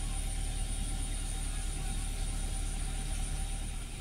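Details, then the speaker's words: Toyota Avanza after alternator (dinamo cas) removal: smooth, even fast idle near 1900 rpm with a faint high whine, no knocks or misses; battery and oil warning lights go out after starting; charging complaint resolved, normal idle. "Tuh, normalnya kendaraan harusnya seperti ini,"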